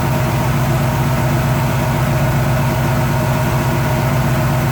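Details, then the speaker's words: Chevy 350 V8 with EFI, warm idle, after adjusting the lifters with the engine running failed to remove the noise: a light, fast tick of about two per second over the idle. Owner suspects a lifter going bad. "so having really been able to adjust out the noise so I think it's just a lifter going bad"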